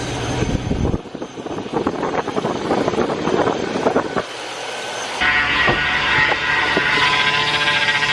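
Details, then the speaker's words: 2004 Chevy Avalanche after power steering cooler replacement: loud rough rattly churning then steady high whine; pump starved of fluid, reservoir nearly dry and milky with air after fluid loss. "all that sound was actually I thought the reservoir was full and it was kind of like almost milky looking but I think it was just all of the air that was going through the pump"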